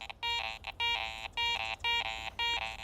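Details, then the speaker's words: ACE 400 metal detector in jewelry mode with iron notched out and iron audio on. Tone bursts about twice a second as the coil sweeps, with an iron grunt on both sides of the target, meaning the target is not pure coin and contains iron. "there's some flanking iron sounds if i'm dead centered on it still sounds okay but as i'm coming and going i can hear that iron grunt on either side of the target"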